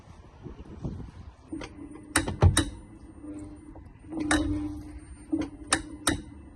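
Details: 2023 VW ID.3, brake held while switching Drive and Reverse under acceleration: sharp metallic click bursts over low motor hum from the rear wheel; outer CV joint free play suspected, possibly related to TPI 2064631.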